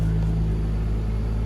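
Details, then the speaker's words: Turbo-converted Nissan R33 RB25 straight-six, just rebuilt with new head studs and head gasket and running on wastegate pressure, at warm idle with good oil pressure: a steady, even low rumble with no knocks or misses, sounding healthy. "it seems to be running good sounds good sounds healthy"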